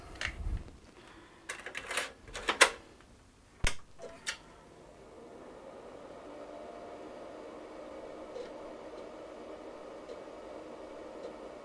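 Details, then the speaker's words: Amiga 2000 internal floppy drive (Chinon FB-354), disk inserted with cable connected after the twist: a few sharp head clicks and knocks, then only a steady low whirr with no seeking; disk read fails. "no I can tell just by the sound of it that it's a failure"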